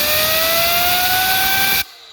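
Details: Audi RS3 DAZA engine rebuild, turbocharger off the car spun with an air gun after pre-oiling with 5W40: rising whine over strong air hiss, some oil visible; sounds worn, suspected not confirmed.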